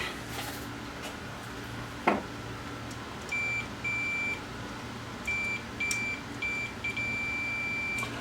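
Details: Pioneer VSX-522 AV receiver, standby works but won't power on; board flashed underneath. Steady high Fluke meter continuity beeps as probes touch output transistors; two front-left channel outputs read shorted.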